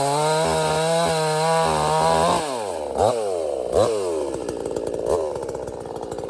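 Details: $97 Temu Chinese gas chainsaw cutting wood: strong steady scream that dips and recovers as it bites into wood, pulling cleanly; runs well until it later runs out of fuel, not a fault.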